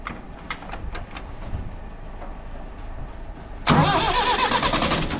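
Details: Universal tractor, cold start after starter motor repair (gear previously slipped on long cold cranking, old motor's brushes dusty and grease caked): quiet, then a strong, fast, even crank spinning cleanly; starter healthy.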